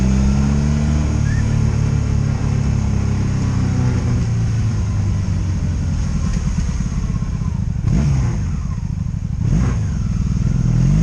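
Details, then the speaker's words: 2002 Honda Magna VF750C V4, warmed up, road test after rebuild and brake fluid service: steady, even drone at road speed with smooth throttle changes, no ignition cuts or bucking; running healthy. "That means no ignition cuts, no bucking, no nothing, just it ran good."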